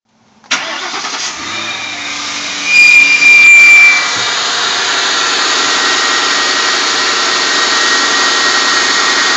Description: I own an '03 Mercury Grand Marquis (4.6 single cam, single exhaust, 95k odo) that just started making a loud whine/whistling noise during the first 30 seconds of a cold start cycle. Seems like the sound is at the front of the engine, by the drive belt.